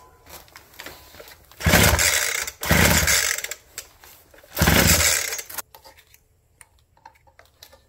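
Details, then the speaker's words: Abandoned roadside two-stroke hedge trimmer, full choke, primer primed, tank full of fuel: three hard pull-cord rips each dying with no firing; no start as carb spits fuel and is soaked, probably because the wrong carburetor diaphragm was used. "We spitting fuel at the carb? Probably, because I used the wrong diaphragm. Duh. She's soaked."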